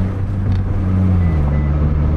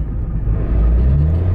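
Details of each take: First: Mitsubishi Lancer (not Evo) on a test drive after a clutch repair that fixed bad slipping: a steady engine drone drops smoothly through a gear change with no slip or chatter. A plastic rubbing near a wheel was noticed. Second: Mitsubishi Lancer (non-Evo) on a test drive around the block: engine revs flare and climb in pitch under acceleration while road rumble barely changes, a slipping clutch that needs replacing.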